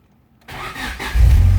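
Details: 1999 South African Honda Civic with no crank no start, after resoldering the ignition relay circuit board: brief crank and engine catches at once, settling into firm steady run; clean start, relay suspected.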